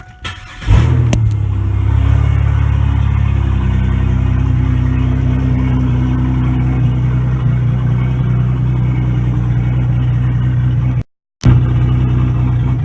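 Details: 2002 Pontiac Firebird with turbocharged 3800 V6, small muffler (only one that fit): cranks, catches and settles into a loud, deep, booming idle with a few revs; runs fine, exhaust just very loud.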